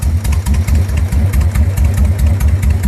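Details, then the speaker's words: 1999 Suzuki Intruder 1500, 13,000 or 23,000 miles, starting reliably after the no-start fix of jumpering out the decompression solenoid wiring; big twin thumps in an even lumpy idle, healthy. "every time starts up like a champ have yet to be left on the road do to an electronic malfunction"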